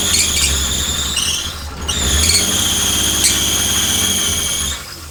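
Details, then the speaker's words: R32 Nissan Skyline with a used RB20 swapped in after the old engine threw a con rod, first start, vacuum lines not all fitted: rough idle under a loud, high-pitched squeal wavering with engine speed from every belt being loose. "It runs! Don't mind all the squealing though, that's because every single belt's loose, but hell yeah."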